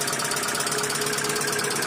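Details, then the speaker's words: 2012 Hyundai Accent petrol/CNG at idle: fast, even top-end ticking, about a dozen clicks per second. The mechanic says the timing bearing is silent and the noise comes from more than one spot; a removed motor's bearing was found bad and is to be replaced. "का तो sound है ही है मगर sound इधर भी है भाई मगर टाइमिंग बेरिंग जो है व साइलेंट है टाइमिंग बेरिंग की आवाज नहीं है"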